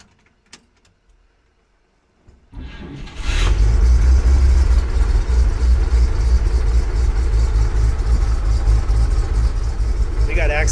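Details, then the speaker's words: 1946 Chevy truck with a 216 six, first start after engine work with a new exhaust and no coolant in yet; brief crank, catches cleanly and settles into a steady, even low rumble: normal start and idle. "so yeah well it started right up it's great"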